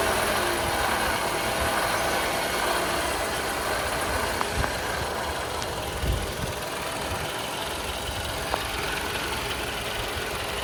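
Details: Toyota Camry, 2AR-FE engine, at idle: rough, hissy whirring from the front of the engine, from a failing water pump bearing; fixed by water pump replacement.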